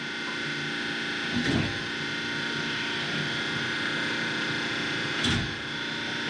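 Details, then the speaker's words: Spectra Newport 400C watermaker on a Leopard 45 catamaran, now running with a Jabsco pump in manual mode because the pressure sensor is broken, bubbles purged: even, steady hum with brief handling knocks, no sputter or surging; normal running. "it's running that's it we've got the working a working water maker again it's amazing right now"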